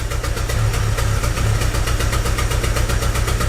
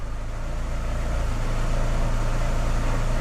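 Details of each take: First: 2006 Chevy Aveo with P0300 random misfire code: rough, uneven idle with shake and stumble, worse and surging when put in drive at stops; plugs looked lean-running. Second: 2006 Chevy Aveo after new plugs, wires, coil, EGR cleaning and IAC valve replacement for rough idle and P0300: steady, even idle in Drive with brake held, no misfire, stable rpm; rough idle fixed.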